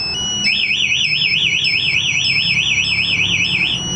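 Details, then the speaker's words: Yamaha NMAX (new model) with aftermarket smart-key alarm: ignition forced about 7 seconds with remote away, engine won't start; loud high warbling siren cycles steadily; anti-theft alarm triggered. "Ketika saya paksa kurang lebih 7 sampai ya kurang lebih 7 detik ya, maka yang di sini akan teriak."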